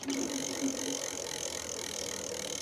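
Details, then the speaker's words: Lectric XP 4.0 (750 W) eBike rear hub motor after part replacement, motor reconnected, checking for earlier motor hum: light, quick ratchet clicking with soft whir while coasting, no hum; normal freewheel. "Yep, and I do not hear a humming. It sounds like it's freewheeling just fine right now."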